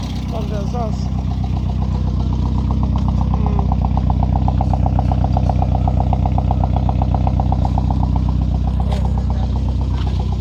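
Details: Engine after repairs for valve damage blamed on a low-quality head gasket, idling steadily with a smooth regular pulse and no knocking, ticking or misfire; running cleanly.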